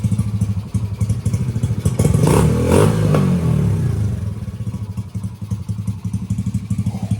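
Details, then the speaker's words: 1985 Honda ATC70 with 125cc shifter engine, first start: low, even single-cylinder putter with a brief throttle blip, settling to a steady idle after the throttle stop was backed out too far and the carburetor idle was readjusted; idling good now. "That on our throttle adjusted out too much. And now we have adjustment on our carburetor for our idle. And now she's idling good."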